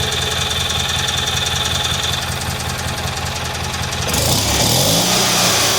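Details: Freshly rebuilt Kohler Magnum M18 from a Cub Cadet 1882, on a test stand and fully warmed up. Steady even idle at about 1200 rpm, oil pressure about 45 psi, with a regular exhaust beat and no knocks; some raw fuel on the exhaust.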